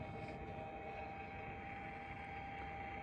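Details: Milwaukee M12 transfer pump on a fresh 4.0 battery draining a pool: continuous smooth motor whir, steady mid-pitched tone, no knocks or surging, strong vibration noted; normal running under load.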